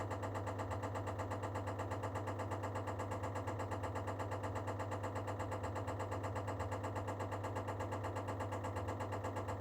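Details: Baxi Duo-tec boiler preparing to heat: a steady low hum with an even knocking of about two beats a second during heating start-up.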